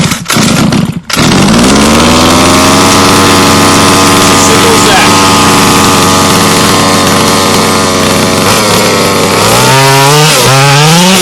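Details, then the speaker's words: HPI Baja 5B two-stroke buggy on 87 octane premix, climbing a hill: high buzzing engine note that drops in pitch and wavers under load, struggling to pull cleanly. Bogging; needle valves said to be finicky and need tuning. "all right so you may have just heard as I was going up this hill over here that it was bogging a little bit unlike your Nitro friends these guys are really finicky with the needle valves very small"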